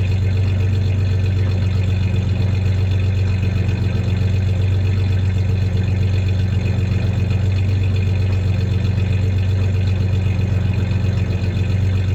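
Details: 1993 Ford Ranger 3.0 V6 idling with a slight misfire, uneven beat dipping every few seconds, plus a little rev; the light rattling/clanking is tie-downs in the bed, not the misfire.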